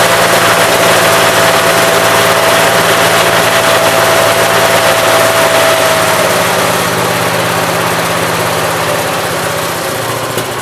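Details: 1969 Gravely 432 after the carb float level, found extremely low, was corrected. The small single-cylinder engine now runs with a steady, even drone, no misses or surging, running normally.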